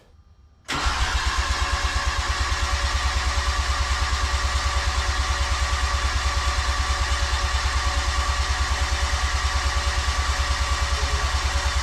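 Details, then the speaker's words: Rebuilt 13B bridgeport rotary, injectors and igniter disconnected: steady even starter chug about three pulses a second, never catching; no-fire crank to prime oil and build pressure before first start. "all right okay so i have no ignition hopefully and i've got the igniter i'm gonna unplug the harness as well all right harness is unplugged and i'm gonna go and get you to crank it for me"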